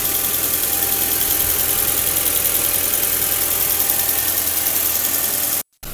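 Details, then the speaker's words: Volkswagen B5 with a cylinder 1 misfire, after fitting a new camshaft: steady, even idle with no stumble or uneven beat; cylinders firing cleanly and the engine running smoothly. "давай а же работает и троих уже сразу не правит а то ну всё работает как часы"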